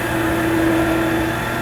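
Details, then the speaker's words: Delta midi lathe just after drive belt replacement, first run: smooth, even motor hum with one steady tone and no slapping or knocking; it runs very nice, like new. "very good runs very nice but to tell you the truth that wasn't as bad as I thought it was going to be"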